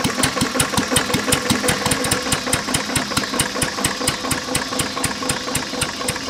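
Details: Lister throttle-fed single-flywheel engine, believed 1920s–30s, with magneto, idle set low; block also cracked with water in the oil: a slow idle with sharp metallic knocks about three a second, locked to firing, a worn rod bearing awaiting replacement.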